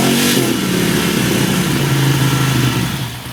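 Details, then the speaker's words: 2002 Ducati Monster after a no-start was fixed by resecuring a fuel filter inside the tank that had vibrated loose. Fires straight up with a quick blip of revs, then settles to a lumpy but even twin idle; running normally. "And of course, she fires right up. So that was our issue."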